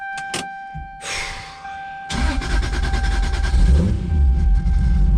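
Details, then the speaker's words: Built 2JZ-GTE in a 1995 Toyota Supra starting, with a full exhaust and mid pipe now fitted. It settles into a steady, even low rumble with no missing cylinder and is running smooth. "dude, that is running smooth. Oh yeah, listen to that. It actually sounds like a 2J now."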